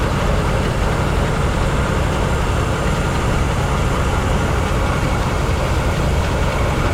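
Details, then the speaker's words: 1970 Chevy C-40 mechanics truck, sat 15+ years, revived: deep steady rumble with even beat, no misfire or knock; engine idles well, though not charging and not breaking loose. "Just running. Yeah, it runs great. It runs good."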